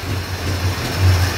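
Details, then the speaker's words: Dodge Dart after steering column install, very cold engine with choke barely on: low idle surging and sagging unevenly as if about to stall, but it keeps running; rough cold idle from insufficient choke. "it wants to die it sounds like but it's also cold as hell and the choke's barely on it's running though that's all that matters to me"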